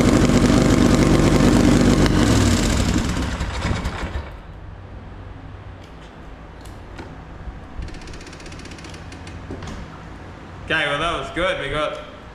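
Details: Polaris Sportsman 850 XP quad, hard-worked bull catcher sat for a couple of years, parked up for pumping oil at the engine breather; first start on jump pack, old fuel: bursts into uneven stumbling running, misfiring and shooting flames, then fades and dies; owner suspects old fuel.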